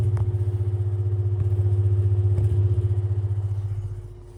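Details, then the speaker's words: Tatung fan with dry bearings, not yet oiled and due for oiling, running on low then high: a low hum with a steady whirr and a rough throb about four times a second. It still moves a good breeze. "Again, one more listen to the bad bearings because it doesn't sound good."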